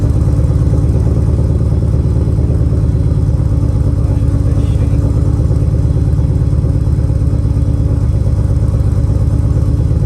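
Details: First run of a temporary replacement engine (original block destroyed), fuel pump fuse refitted, logged with HP Tuners: deep, loud idle with uneven, lumpy pulsing and no steady beat. The owner suspects a vacuum leak, possibly the plugs; the cause is unconfirmed.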